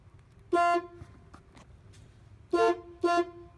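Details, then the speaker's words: 1994-96 Buick Roadmaster after stuck-horn fix with push-button switch mod, airbag reinstalled and battery reconnected: three short thin single-note toots. Only one horn working; owner suspects wiring or his own work. "it sounds like you only got one horn working mm-hmm it's so there seems to be something wrong with the wiring or something I did"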